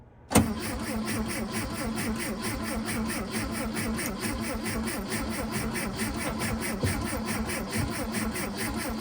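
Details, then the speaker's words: 1968–70 VW Beetle unstarted for about five years, fuel lines disconnected: starter engages with a clack and keeps cranking steadily after the key is released; owner suspects a sticky starter solenoid or possibly wiring. "Only minor excitement it seems to have is that when you let go of the key, it doesn't stop turning over. So I'm assuming that if I've got a very sticky starter motor solenoid would be most likely, or possibly a wiring"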